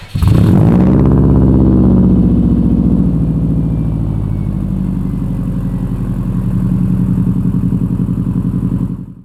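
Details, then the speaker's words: 2002 Subaru WRX after installing a Walbro 255 lph high-flow fuel pump: catches instantly after a short crank, flares, settles into an even idle before shutoff; pump slightly louder than stock, no leaks, healthy start. "there we go guys no leaks as you can see it works as well it is a little bit louder than the stock fuel pump but that doesn't bother me"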